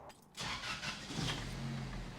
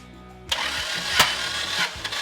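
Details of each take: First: 1988 Toyota pickup with turbocharged 2RZ swap, manual, in neutral, hood up: engine runs with loud sharp puffing tick over idle from a massive exhaust leak at the cracked turbo manifold, masking transmission bearing rattle. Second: 1988 Toyota pickup with swapped turbocharged 2RZ from a 99 Tacoma, after drag strip damage, cranked via starter circuit for compression test: steady cranking with even pulses; cylinder one 145, cylinder two 135, four 130, suspect cylinder three 115.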